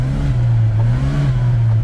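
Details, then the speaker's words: 1989 Chevy S10, automatic, test drive in drive: first and second work but third gear is absent; engine drones at a steady raised pitch that doesn't drop with a shift, only slight pull; transmission slipping. "So, let's just go for a little drive here and we'll show you, you know, first gear, second gear, and then third gear is nothing."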